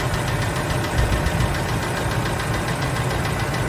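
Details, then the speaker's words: 2006 Ford F-150, about 198,000 miles, engine previously run without oil, hot after brake torture test, idling roughly: steady rapid knocking under rumble; described as rod knock and lifter noise, exact source unconfirmed. "et it cool down so it's got some lifter noise the rod knock sounds better yeah we fixed that part of it"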